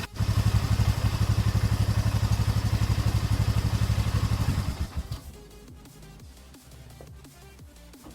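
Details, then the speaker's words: 2012 Polaris Sportsman 500 H.O. ATV, right after an oil and filter change to Amsoil 5W-50 and priming the oil system, warming up: even, steady single-cylinder idle; the earlier rattle is gone. Normal idle. "this new oil quieted this engine down quite a bit there was a lot of rattle going on here so let this engine warm up"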